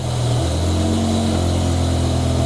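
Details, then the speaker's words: BMW E60/E63 M5/M6 V10 after replacing the failed #9 ignition coil (driver side): smooth, even low-rumble idle with a steady beat and no stumbles; the misfire is gone and the codes are cleared. "and there we go cars sound so much happier"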